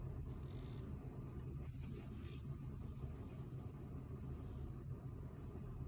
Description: Basically the 3060ti GPU fan making a loud noise when in medium to high noise.